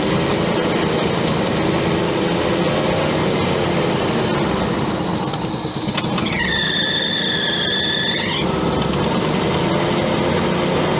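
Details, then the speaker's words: Old auction crane truck on attempt 12: starter grinds steadily for many seconds with a brief high squeal, but the engine never fires; not picking up fuel, a recurring problem on this unit. "She's just not picking up fuel for whatever reason. The same problem I've had in the past with this unit."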